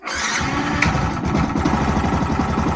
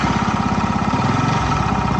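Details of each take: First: Crash-damaged Yamaha YZF R125 motorcycle, first start during rebuild after priming fuel lines: brief whirr, then it catches and settles into a steady, even idle with no misses or knocks; normal cold start. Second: Crash-damaged Yamaha YZF R125 single-cylinder, just after a cold start, warming up: idle thuds along then sags and drops in pitch, nearly stalling; unstable low idle, may need adjustment.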